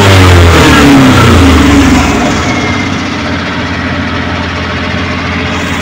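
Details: Suzuki Multicab F6A carbureted engine that would not start, now running after carburetor overhaul and cleaning, float valve and distributor adjustment: engine revs briefly, then drops back to a steady, even idle with a regular beat, running properly.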